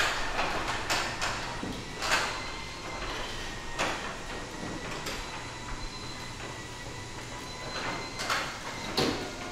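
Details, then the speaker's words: New Genie ultra-quiet belt-drive garage door opener in a 1990 house: motor barely audible, faint hum under the old door's rattles and clunks while traveling; normal, quiet operation. "well did you just hear what I heard which was basically almost nothing this garage door opener is incredibly silent"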